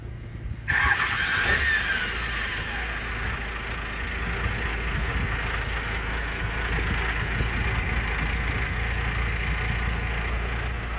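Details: Engine first start after throttle linkage repair (rod re-tapped, measured 14.5 inches). It catches quickly after a brief crank and settles into a steady, even idle with no misses or knocks: normal start and idle.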